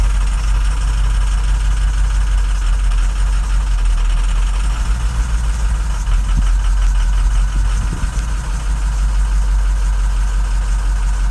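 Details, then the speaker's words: 2007 diesel truck, 119,000 miles, hard starting, codes for cylinders 1, 3, 5 and 7, held cold on purpose: barely holds idle with a lumpy, uneven chug; bad injectors, cylinders 1 and 7 by far the worst. "holy crap it barely wants to run let's see real quick"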